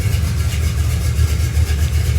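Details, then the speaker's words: 1974 Camaro V8 with a mild cam, roller rockers, headers and new exhaust with two Flowmaster Super 10 mufflers, just started and warming up: a deep, loud, lumpy burble at an even idle with no ticks or knocks. "I put two Flowmaster Super tens on it they're a good bit loud but it also sounds good when sitting here idling"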